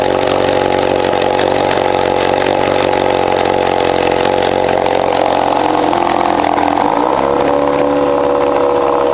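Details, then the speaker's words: 1953 Mercury Mark 15 outboard run in a cold test barrel after carburetor float height corrected to cure flooding; settles into a steady, even idle with no stumbling or flooding misses. "around to figuring out the carburetor today pulled it apart found out what the problem was put it back together and I've already had it running here as you can see"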